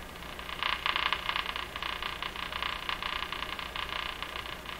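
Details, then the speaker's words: Crosley 43FB farm radio after replacing wrongly sized capacitors, filaments at 1.4 V then B+ applied: irregular ticking crackle bursts over steady hiss, heard between stations when AVC raises gain; likely interference, uncertain. "That noise could be interference. Like ticking. You can see that you can only hear the ticking when the AVC has turned up the radio in between stations, or other noise signals."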